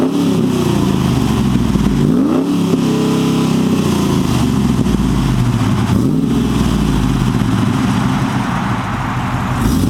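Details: 2008 Chevrolet Silverado 6.0L L76 V8 with American Racing headers, high-flow catted Y-pipe and Borla XR-1 muffler, revved in place: deep burble rising and falling cleanly through a few quick revs, steady, no knocks or misses; healthy.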